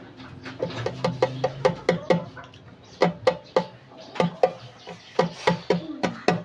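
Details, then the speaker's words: China keypad mobile phone after repairing a damaged ringer speaker: clear chirping ringtone in a steady repeating pattern, no rasp or dropouts; ringer now works normally. "तो ये देखो अभी दोस्तों डिस्प्ले भी और ये आवाज़ भी आप चेक कर सकते हो।"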